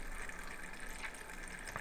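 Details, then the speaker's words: Thermalright 360 AIO on a test bench, pump at 80% at CPU idle: a soft bubbling, trickling gurgle comes and goes over a low pump hum, from air trapped in the pump area that repeated 100%/low speed cycling hasn't cleared. "I can't seems to get any of this bubble out of from the pump area it's driving"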